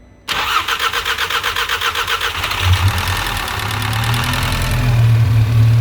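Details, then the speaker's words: Scirocco with rebuilt MK6 Golf engine, first cold start on 4 or 5-year-old petrol: about two seconds of rhythmic cranking, then catches cleanly and settles into a steady, even idle; healthy start. "Yeah, perfect. Mabruk, well done. Leave it. Let it move your hand. This cold starts like that."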